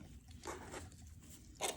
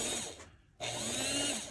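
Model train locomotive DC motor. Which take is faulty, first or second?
first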